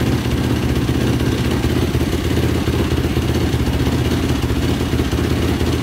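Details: 2005 Yamaha YFZ450 ATV with a 98 mm big bore, first run after rebuild. Loud, fast, steady single-cylinder thump at raised idle with no misses or stumbles. Exhaust pipe glowing quite red. Normal running.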